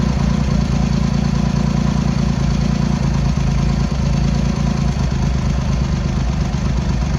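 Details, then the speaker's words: Triumph X75 Hurricane with freshly rebuilt carbs, cold idle on half choke: lumpy, uneven beat with one cylinder dropping out; pilot screws thought to be 7/8 out, mixture/carb tuning fault suspected, later left-hand carb found incorrectly set. "Probably do need to give it a bit of tune."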